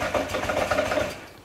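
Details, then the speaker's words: Honda Ruckus scooter first started on a borrowed battery: uneven, lumpy chugging at a very low idle that sags and nearly dies, dying when given gas; owner suspects a dirty carburetor. "It's running. Not the greatest. It sounds terrible."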